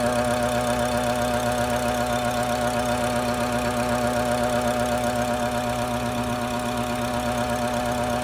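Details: BMW F10 535i, N55 engine, at idle: steady regular buzzing pulse about four times a second over the engine from a faulty boost solenoid; noise was gone after the solenoid was replaced.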